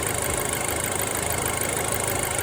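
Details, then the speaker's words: Audi A4 B7 at hot idle with an aftermarket oil pressure sensor on a 1/8" NPT tee adapter: a harsh, clattery, diesel-like rattle and slight shaking. The owner says it has always idled this way. Oil pressure readings swing between about 19 and 12.5; low oil pressure issue. "not only that, I mean, the engine's shaking a little bit. Sounds like it's running like a diesel sort of."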